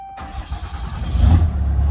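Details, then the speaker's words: 2012 Ram 2500 6.7L Cummins turbo diesel starting after a fuel filter, oil and crankcase ventilation filter service. A short crank, then a deep, steady rumble; it may run slightly rough at first while the filter canister fills. Clean, normal start. "we go and now while I run it for the first little bit it might uh might run a little rough until that canister"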